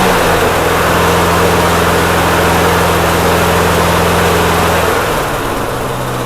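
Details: Snapper mower with a leaking fuel tank, after the carburetor jets were cleaned: steady even buzz with no stumbling or surging that eases to a lower speed near the end; running properly.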